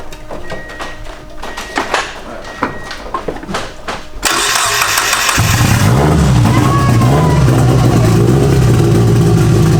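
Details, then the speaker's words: Turbo Miata first start after straightening damaged crank timing markings (Corvette part used): catches and settles into a steady, even, self-sustaining idle with a slightly wavering note; sounds healthy. "That runs crazy. Sounds good nice."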